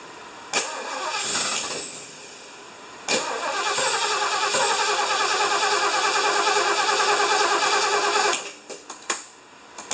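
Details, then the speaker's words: 1975 Lincoln, just reassembled, first start attempt: even starter cranking at about three beats a second with no firing. Crank-no-start, likely because the distributor sits one tooth off; the plan is to lift it, reseat it and set timing with a timing light. "yeah I think we got the distributor one tooth off we're gonna pick it up and put it back down"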